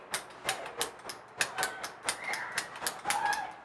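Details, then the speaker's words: Exo-suit pneumatic solenoid valves on the air tank, after rewiring with two crossed cables swapped: crisp sharp clicks about three times a second, no motor; valves switching cleanly and working. "So now I'm going to put this thing on, and I'm going to let you hear them clicking and, well, working."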